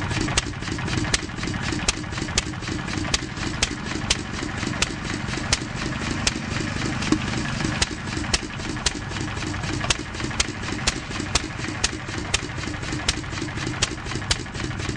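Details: 1-1/2 HP McCormick Model M single-cylinder stationary engine, not a hit-and-miss type: slow sharp pops unevenly spaced, exhaust valve closing every cycle but not firing every cycle; intermittent misfire, possibly poor fuel mixture or weak magneto, unconfirmed.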